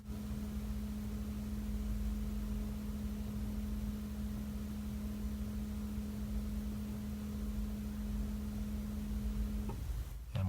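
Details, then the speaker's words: 6.7 L Powerstroke after replacing the primary and secondary fuel filters, on the sixth key-on, no-crank priming cycle: the lift pump gives a steady low hum with a single clear tone, then cuts out cleanly; the filters are primed normally. "so this is the sixth time and we're listening for the little moan of the pump"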